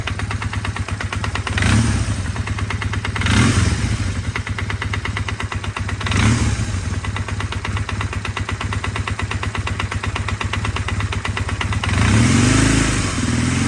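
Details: Honda Rebel 450 single-cylinder after valve adjustment: loud regular mechanical knock at idle persisting through throttle blips; source unknown, owner suspects bottom end or cylinder head.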